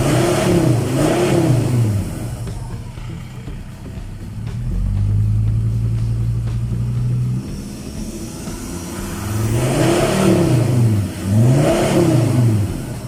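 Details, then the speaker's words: Ford Ranger with a new full exhaust fitted with a muffler, replacing a straight pipe (ECU remap also done): a deep, low rumble rising and falling smoothly with throttle blips. No rasp or rattle; a normal, quiet exhaust note. "That's what an exhaust is supposed to sound like. Nice, deep, and low, and grumbly. Not loud and shrieking."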